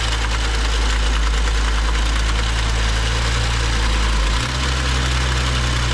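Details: Rebuilt BMW 535xi M Sport engine, about 2,500 miles after install, after new high-pressure fuel pump and cam follower: steady idle with a light, fast ticking rattle over a deep rumble; top-end/lifter knock suspected, rod knock ruled out by clean VANOS screens.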